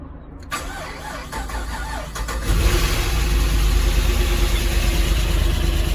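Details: Holden Calais with L98 LS V8 that had an engine knock, first start after disassembly, gasket and seal replacement and reassembly: cranks about two seconds, fires and settles into a steady, even idle with no ticking or knock; normal start and idle.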